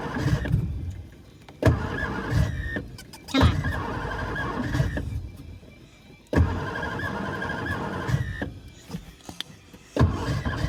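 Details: 1963 Studebaker Lark sat since 2010, after an earlier backfire and brief run, given more gas and starting fluid: repeated few-second cranking bursts, never catching; owner suspects the fuel needle isn't freed and it isn't accepting fuel.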